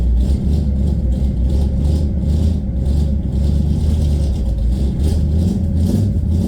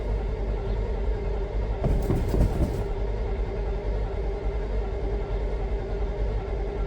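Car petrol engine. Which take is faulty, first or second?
second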